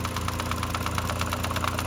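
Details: 2005-2010 Mk5 VW Jetta 2.5L at idle, noise began about 3,000 miles ago, heard near timing cover through homemade funnel stethoscope at vacuum pump: quick light ticking about eight per second; owner suspects vacuum pump, not confirmed.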